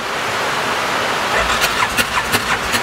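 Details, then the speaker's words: 2018 Odes 1000 X2 LT UTV that died and won't restart: steady cranking with rhythmic compression pulses but it never catches; no spark at the front spark plug, and the rear plug is being checked next. "I have no spark at the spark plug"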